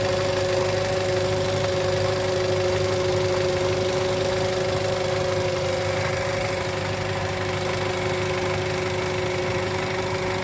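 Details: 2013 Toyota Avanza 1300cc at idle, noise at the front pulleys: steady idle with a constant droning moan riding over it. Alternator bearing growl confirmed; the alternator is to go to an alternator repair shop.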